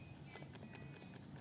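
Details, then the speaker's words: iPhone 6 shaken after a battery replacement: light sharp clicks about five a second as the loose internal battery rattles against the housing. "oh seperti ada bunyi apa ya Ada bunyi benda bertabrakan gitu ya Ini aneh sebenarnya Dan itu memang cukup sering cukup sering di iPhone yang biasanya sih habis ganti batre ya"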